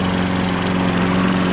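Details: Lawn mower after quick carburetor jet cleaning for not starting or not staying running: steady, even low drone with no misses or surging; runs cleanly.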